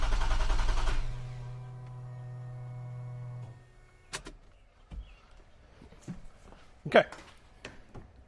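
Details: 2GR-FE V6 swapped into Toyota MR2 SW20, first start attempt, crank rpm read and no faults on OBD2: steady starter drone about three seconds never catching, then stops; cranks fine but no fuel, fuel pressure being checked.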